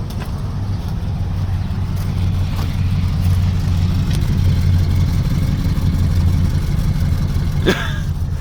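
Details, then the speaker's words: 1964 Dodge "Earlene" after a cold start, with a vacuum leak plugged and the air cleaner off: a low, even burble holding a steady idle with no stumble, hiss or ticking; smooth and healthy. "just the most unimpressive engine in the world, but it's just so smooth and perfect and calm and docile."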